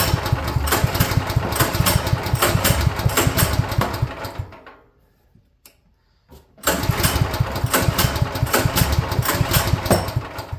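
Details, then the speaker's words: Champion portable generator that sat for years, half choke, flooded, with suspected bad greenish old gas. Engine catches in ragged, uneven bursts, dies about two seconds, then sputters back; misfiring blamed on a fouled spark plug. "I think it's that spark plug. 110%. I think it's that spark plug. I don't know what made it fire off that one time"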